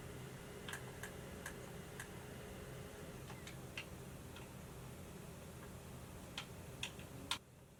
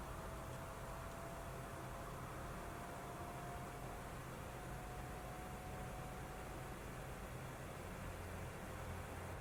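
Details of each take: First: Xbox Series X running Assassin's Creed Valhalla from disc: irregular soft ticks and clicks over a low steady fan hum; prominent but normal disc-read noise, not an issue once the game is installed. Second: Original PS4 running the opening of God of War: steady airy rush with a faint constant whine as the cooling fan ramps loud within minutes under heavy load.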